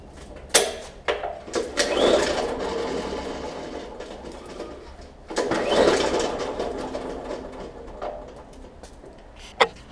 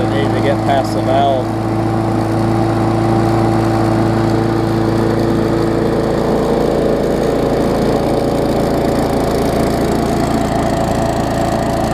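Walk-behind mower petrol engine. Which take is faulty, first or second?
first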